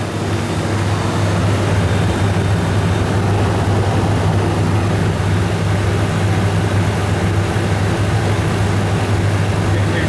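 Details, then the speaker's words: Refrigerated chiller trailer, about 10 years old, not cooling due to a burnt-out compressor relay: steady low hum with constant mains drone, no knocking or chatter, discharge pipe hot, suction cold; compressor running smoothly. "Yeah, we've got heat in the discharge pipe. Compressors, you can hear it making a noise. Suction eye's getting cold."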